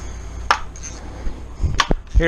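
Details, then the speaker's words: 1996 Suzuki RM250 two-stroke crankcase reassembly, halves drawn together with bolts: sharp cracks and short creak as the crank main bearing works into its seat in the case; sounds awful but normal. "and cracking that's the that's the barring relieving as I work it up that's everything finding seat finding home I know it sounds awful"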